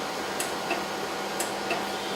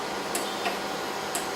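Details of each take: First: Acquity lab system, seal wash pump during prime: steady paired clicks about once a second, two distinct ticks each stroke, over quiet room hum. Two clicks mean the pump isn't primed yet; the second click softens once fluid reaches the pump. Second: Acquity lab system, seal wash pump priming as fluid reaches it: sharp ticks in pairs roughly once a second, the second tick softer each time; normal clicking during priming.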